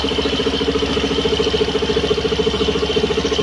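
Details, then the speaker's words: Suzuki Skydrive Sport 110 scooter CVT, belt after one month: steady running hum with even pulse about twice a second, no scraping or rubbing unlike the stock belt. Belt drive quiet and normal. "Kina-cut ko na lang dito na partinig niyo na dito. Yan po ang tunog niya sa Skydrive."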